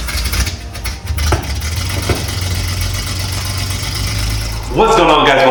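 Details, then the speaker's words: Datsun 280z (S30 build) first start in over 30 years, running but not yet driving: low rumble, slightly uneven at first, settling into a steady run; engine fired and running normally. "the datsun is running it is going it is going but it is not driving yet"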